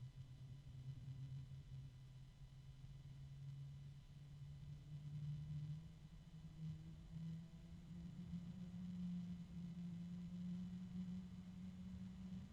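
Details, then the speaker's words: Noiseblocker NB-Multiframe M12 PC fan spinning up: steady low hum rising slightly in pitch, smooth, much quieter than another Noiseblocker, faint bearing ticking; normal. "oh wow that started up right away nice much quieter than the other noise blocker starting to pick up a little bit noise"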